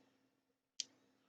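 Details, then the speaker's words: Thunderbird TB10 battery-powered portable strip-grazer fence energiser on the bench: one sharp crisp discharge tick over a quiet room; pulses normally but no HT output, owner suspects open-circuit transformer. "so we're uh ticking it's discharging sounds like it's discharging the cap maybe the transform open ciruit"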